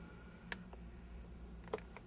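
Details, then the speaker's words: Bugera 333XL amp after repair of erratic channel switching, traced to a faulty front-panel momentary switch and fixed with a dab of silicone: four crisp clicks in two quick pairs over a faint hum; the switches work normally. "all right so these are working real fast bang and bang the lead is working great and then over here was the problem switch I put the Silicon on and it's working great now"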